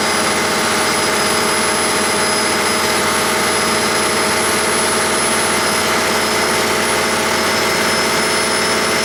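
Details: 1959 Caterpillar D337F diesel generator set, ex-hospital, barn-stored 10–12 years, about 959–960 hours, idling with no load and barely at operating temperature: steady, even run with a constant hissy drone, no knocks, misses or hunting; normal idle.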